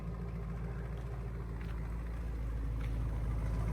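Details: Dodge Charger/Challenger V8 after wiring the active exhaust valves open to eliminate their squeak/rattle. Deep, even idle burbling through the open exhaust, no squeak or rattle; runs smooth and healthy.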